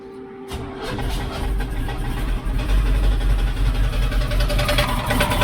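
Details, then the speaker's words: 1972 Chevrolet C10 V8 first start after install; rough idle with hard rapid metallic knocking in the bell housing, feared bottom end damage but caused by inspection plate contacting the flexplate. "let you hear what's going on it sounds like it's in the bell housing"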